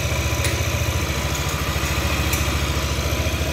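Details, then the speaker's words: Yamaha Aerox scooter after repair of a loose, derailed timing chain that caused no-start and rough starting sound, rebuilt with new components: starts and settles into a steady, smooth idle with no top-end knocking or clatter; healthy. "Motor sudah menyala ya, suara mesin sudah halus ya."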